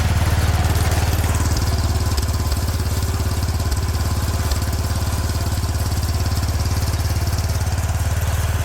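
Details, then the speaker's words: 36-year-old Toro Wheel Horse 416-8 garden tractor after fixing a leaking fuel line: steady, even single-cylinder thump about three and a half beats a second, no misses or knocks; sounds pretty good, normal running. "I think we got it. There we go, sounds pretty good."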